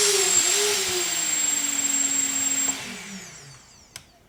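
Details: Newly built FPV quadcopter (Naze32, FrSky Taranis) armed in Acro mode: a smooth, clean motor whine with a steady hiss drops in pitch as the throttle comes off, with no grinding or rattle. Normal motor run.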